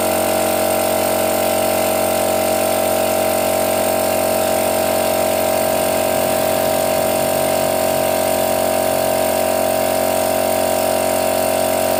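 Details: Used portable direct-drive air compressor, cover missing, tap closed to test auto cut-off: constant motor hum with fast even pumping throb; normal compressor run.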